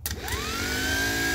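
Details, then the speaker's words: John Deere starter jumped directly on the bench: whine climbs fast and holds with no clunk of engagement; the starter spins but the Bendix drive never pops out to mesh the flywheel. "You can hear it spinning, but the Bendix is not popping up to make connection with the flywheel and make this thing start."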